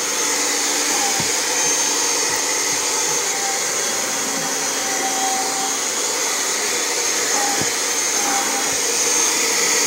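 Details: Kirby Generation 4 80th Anniversary vacuum after replacing suction fan: steady high-pitched whir with even airy rush, no surging or rattles, running full power; sticking safety switch held with screwdriver.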